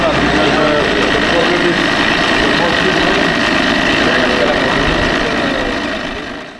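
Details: Parsun outboard idling smoothly with an even beat, about four pulses a second and no misfire, after a damaged spark plug was replaced following fuel pressure and valve fixes.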